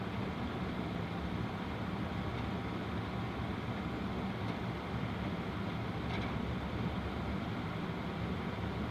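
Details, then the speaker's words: Home gas furnace after draft inducer motor replaced, running at heat call before ignition: smooth steady whoosh with even low hum, no scraping, rattle or squeal; much quieter than the old noisy inducer. "now this is the way it's supposed to sound you go back to the beginning as opposed to now you see the difference"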